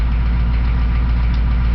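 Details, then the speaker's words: 6.2 diesel at neutral idle with a faint, even tapping, loudest at the driver's valve cover. Oil was changed to Rotella T 15W-40 and oil pressure is good. Excess lash was found on the #1 exhaust valve; owner suspects a collapsed lifter. "Oh like I said I think it's a lifter I did find some excess valve lash on the number one exhaust valve"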